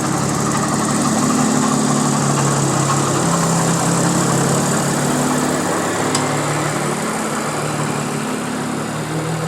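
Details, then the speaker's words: Audi S4 idling warm, codes show cylinder 1 and 2 misfires plus intake runner control stuck closed; coils, plugs and valve cover gaskets need replacing: uneven stumbling beat, about three lumps a second; engine misfire. "like I was saying it is not the happiest it definitely has a m misfire"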